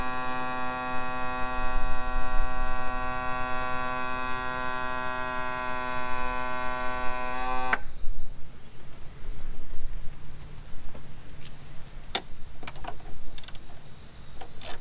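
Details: 2000 Yamaha 60hp outboard tilt/trim after topping up with ATF+4; even steady electric motor hum about eight seconds then clean cutoff, no leaks; trim pump running properly.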